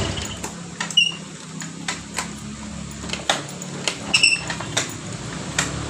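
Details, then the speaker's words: Honda Vario 125 (old model) scooter with starter/ACG fault: brief high chirps and scraping squeaks through the starter whir while cranking, gone once the engine runs; squeal on starting, exact source and cause not confirmed. "Saat di King starter itu ada bunyi the cheat awalnya tapi setelah mesin hidup bunyi indit itu hilang."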